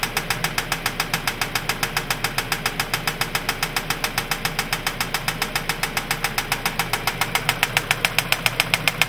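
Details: 2003 Mazda 6 2.3L engine at steady idle; sharp, even metallic knock about three and a half times a second; engine knocking noise, source not yet pinned down.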